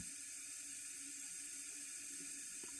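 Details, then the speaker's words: Toilet fill valve on a well-supplied house with no inline water filter: a constant faint high hiss with no letup as water flows over the overflow; sediment or trash in the valve keeps it from shutting off despite the float fully up. "But that hiss that you hear is the water valve not shutting itself off. Now the reason why it has a problem, it's got sediment or trash or something stuck in that valve."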